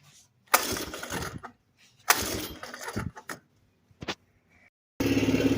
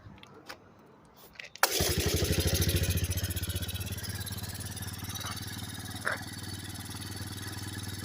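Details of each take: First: Kawasaki KLT160 mini Prairie Dog ATV, sat for years with good compression, first start after carb cleaning: cranking bursts catch and stumble into a rough, sagging idle, bogging. Owner suspects it needs a bigger main jet. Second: Kawasaki KLT160 mini Prairie Dog ATV, revived after years sitting, after removing the shrunken restrictive intake tube and servicing the cap: a few clicks, then it catches and settles into a steady, even idle with no misses or surging. Idle is perfect.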